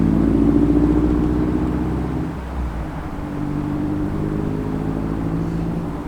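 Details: Mazda Miata after installing ISR headers with EGR delete, a MazdaSpeed intake cam, timing belt and water pump, QMax coolant reroute and Super Miata crossflow radiator: a deep, even exhaust rumble easing from a rev to a steady idle, running healthy.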